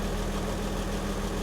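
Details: Porsche 986 Boxster S flat-six, 48,000 miles, barn-stored and off the road for three and a half years, first start after fuel-system work: smooth, even idle with a steady low hum and no misses, ticks or knocks; healthy.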